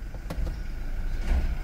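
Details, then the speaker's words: 2018 Toyota Hilux 2.8 at idle with dash warning lights on: a dull clunk and jolt when shifting into reverse; harsh transmission engagement, 90% blamed on a weak battery, suspected and not confirmed. "Por incrív que pareça esse piseiro todo é a bateria é 90% de ser só a bateria faz esse piseiro todo aqui no câmbio no painel e tudo a bateria tá fraca"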